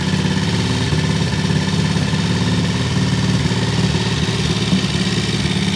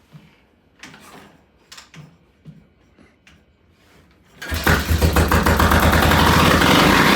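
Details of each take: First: Vintage British T20M single at a deliberately high idle, set high for its "EP system": steady, regular thumping with no misses or mechanical clatter; normal fast idle. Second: Vintage British T20M single, pilot jet and idle settings unchanged from the day before: a few quiet clicks, then it fires and races up hard and fast with no throttle; high idle from incorrect ignition timing.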